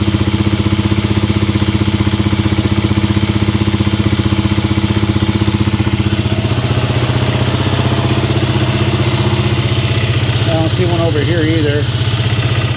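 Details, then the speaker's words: Polaris Sportsman 300 ATV single-cylinder with new aftermarket carburetor and replaced fuel hose: starts right up, steady even idle, no misses or surging, fuel leak fixed; idle judged okay. "And let's see if it starts up and doesn't uh leak on us. Starts right up."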